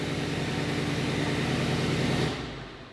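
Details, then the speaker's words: Mercedes GLE63S AMG, a damaged car being rebuilt, first start after a fuse box swap and refuelling: deep, throaty, even V8 burble at a steady idle, loud and raw, then it shuts off; sounds healthy. "But after all of this hard work, we were all hoping that we could actually get this engine started and hear it running for the first time. Come on, car. Hey, that sounds angry."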